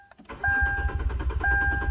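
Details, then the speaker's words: 2012 Kia Rondo: cranks evenly with chime but never fires on the ignition key, yet starts via aftermarket remote start; transponder not transferred when key fob case was replaced, immobilizer not recognizing key. "Today we have a 2012 Kia Rondo, and it's got an interesting issue where the vehicle will not start. It'll crank but not start with the ignition key."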